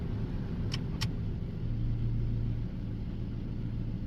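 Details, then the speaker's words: Dodge Neon with 2002 throttle body parts and auto idle air control valve swapped in, idling in park with air conditioner on: low, steady petrol idle, soft even hum, a couple of light clicks; idle holds under AC load, healthy. "It's sitting here idling in gear. I mean, it's sitting here idling in park with air conditioner on."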